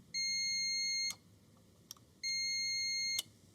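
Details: Portable ice machine, new replacement lower-left limit switch tested with a multimeter continuity buzzer; two clean steady high beeps about a second each as the lever closes, whereas the faulty old switch gave none; switch continuity good.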